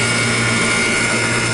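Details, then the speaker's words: York rooftop HVAC unit after compressor replacement with a new filter dryer: steady, even hum with a constant whirr and no knocking or rattling; new compressor running normally. "All right, boys. As you can hear, it's up, it's running."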